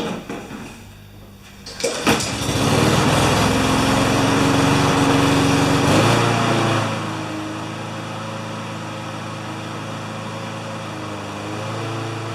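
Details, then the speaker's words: Honda GCV160 mower that ran either flat out near 6,000 rpm or at 2,000 rpm, after bending the governor arm: it starts and settles into a steady, even high-speed hum at about 3,590–3,610 rpm by tach, though the uploader thinks max should be 3,100–3,200. "it counts the spark instead of the RPM but it's right at 35 89 3601 3612 so that's as good as it gets"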